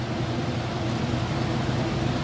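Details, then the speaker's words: Whirlpool top-load washer at full spin, lid open: steady, even low hum with no knocking, rubbing or wobble; the drum spins fast and smoothly, normal spin cycle. "Okay, and we're up to full speed, so I'm going to go ahead and open up this lid, show you that it is spinning nice and fast. You can see in here it's nice and smooth operation."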